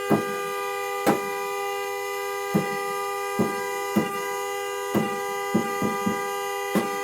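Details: Car horn stuck on at 2:30 am on a freezing December night, not the alarm, still blaring after the car is turned on: continuous unbroken blare with irregular handling clacks; horn stuck and won't stop.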